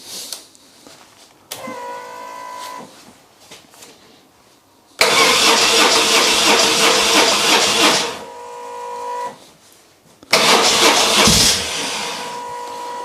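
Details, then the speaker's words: BMW R 1150 GS, cold, with a little choke, after wiring harness and Hall effect sensor wiring repair: two short starter bursts catch into a firm, even run; starts fine, accelerator cable seems stuck; normal cold start. "no smoke coming from in there so that was probably just some stuff burning off last night but the bike started fine let's try it again"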